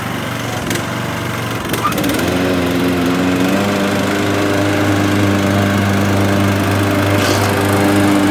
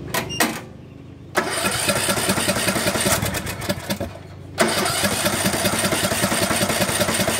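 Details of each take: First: Craftsman LT1500 17.5 hp riding mower after carburetor cleaning and fuel tank flush, test run: engine catches with a few rough pulses, then holds a steady, even putter at constant speed, running normally. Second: Craftsman LT1500 17.5 hp riding mower just after carburetor cleaning and fuel tank flush: engine catches, runs rough and uneven, sags and nearly dies, then picks up. It acts fuel-starved, and the fuel shutoff was found turned off.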